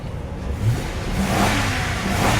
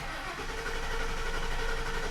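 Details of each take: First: 2003 Lincoln Town Car, running after sitting 7+ years, service engine soon light on, fuel pump suspected: V8 pulls up smoothly in a rising growl and drops back cleanly with no misses or knocks. Healthy revving. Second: 2003 Lincoln Town Car, sat 7+ years under a cover, owner suspects a bad fuel pump: starter cranks with an even churn but the engine never catches. Crank, no start.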